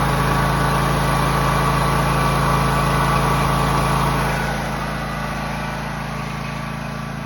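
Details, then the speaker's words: John Deere X304 lawn mower after freeing stuck carburetor fuel shutoff valve, carb not fully cleaned, sat about two years: steady even fast idle, slightly softer near the end, no misses; normal running. "it runs pretty good for not having any for not cleaning the car of any at all"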